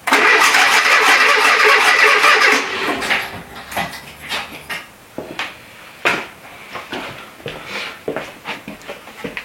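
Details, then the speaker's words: Renault Trafic with a junkyard Renault C1J S 7000 petrol engine, unrun for about 15 years and rebuilt by the owner, gets a long crank without firing, then uneven puffs and pops that never catch; ignition is 180° out from a reversed distributor gear. "j'ai l'impression que l'allumage il se fait à l'envers je vais voir ça c'est complètement le décalé"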